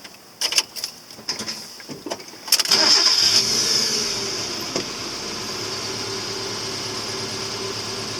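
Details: Mazda Miata that had been losing a cylinder, now with a new coil pack, spark plug wires and spark plugs: a few cranking bursts, then it catches at once and settles into a smooth, even idle with no misfire.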